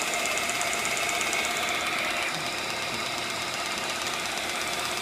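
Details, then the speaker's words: ESO 100 small centerless grinder (100 mm wheel), dresser drive switched on: fast, even mechanical chatter about three beats per second with steady high hiss; normal running. "you can adjust with these potentiometers the free frequency it's grinding and it's opening again"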